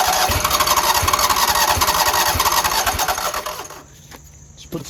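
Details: Scag Tiger Cub 48-inch zero-turn V-twin, jump-started: cranks, catches and chugs roughly for a few seconds then dies; fuel pump delivers plenty of fuel; starts then stalls.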